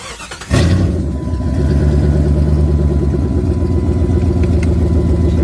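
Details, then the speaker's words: 1996 Jeep Grand Cherokee 5.2 L with brand-new starter after battery terminal replacement, which fixed slow cranking: brief quick crank, fires at once and settles into a smooth even idle; normal crank and start. "good. Yep. Sounds real good."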